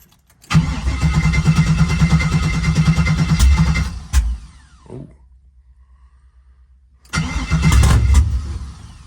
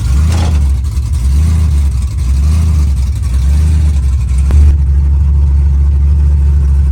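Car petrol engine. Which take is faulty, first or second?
first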